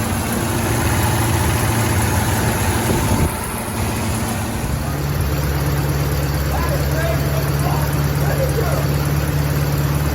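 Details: 1927 Stutz AA, 95 years old, first run in 40–50 years, gravity-fed carburetor: engine catches and settles into a steady low, even idle with no knocks or misses, running smoothly.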